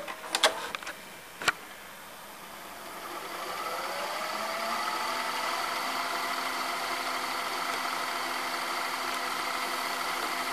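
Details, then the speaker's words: Sony SLV-760HF VCR in fast-forward: a few clicks as the mechanism engages, then a whir rising to a steady high, blender-like hum. Abnormal fast-forward noise. "unusual sound when it goes forward if you can listen closely it sounds like a freaking blender"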